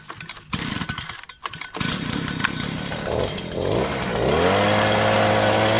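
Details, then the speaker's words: New Stihl SH 86 / BG 86 leaf blower at first start-up, at full throttle sounds soft, burbly and not powerful on top; running very rich on the high jet as expected when new, to be leaned out after a tank or two of break-in. "this one is sounding very very rich on the high jet which is to be expected so that's definitely going to be leaned out"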